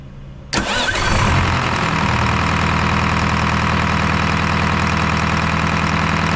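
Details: Detroit 4-53T turbo two-stroke diesel, 9G90 injectors swapped back to 7A77s after loose, broken suction hose clamp before primary fuel filter replaced: starts instantly, settles into hard, even, busy idle with no miss or stumble; normal start and idle, runs like a dream.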